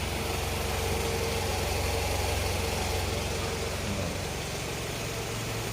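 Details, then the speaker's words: Old Toyota Camry (ACV30, 2AZ engine) idling after the water pump was replaced: smooth steady low hum with the growl, earlier traced to the water pump with a stethoscope, now gone. "ya ini setelah diservis ya ganti water pump suaranya seperti ini jadi suaranya kembali halus"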